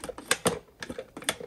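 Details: 2006 Maytag Ice2O MFI2568AES French-door refrigerator whose ice/water dispenser does not work and whose front panel flickers: sharp, uneven dry clicks about four a second in a quiet room. A control board problem is possible, likely a faulty capacitor.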